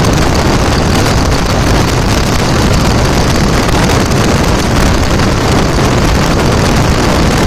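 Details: 2000 Dodge Ram Cummins diesel idling after the AC compressor pulley was bypassed with a 65" non-AC serpentine belt: steady, even clatter under some wind rumble, no squeal, chirp or knock; healthy normal idle.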